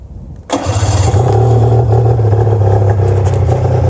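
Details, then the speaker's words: 1997 Arctic Cat EXT 580 EFI two-stroke snowmobile, newer engine, CDI ground fixed; cranks and catches then holds a flat low drone at idle that won't lift, same even after adjusting the oil pump. Abnormal idle, cause unclear. "I've already had it started a couple times but it does seem like it it's still even after i justed the oil pump it's still doing the same thing"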